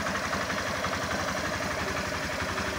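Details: 2021 Factor 150 motorcycle after replacing the fuel pump refill, worn from riding on low fuel: steady, even single-cylinder putter at idle with no knocks or misses; runs normally.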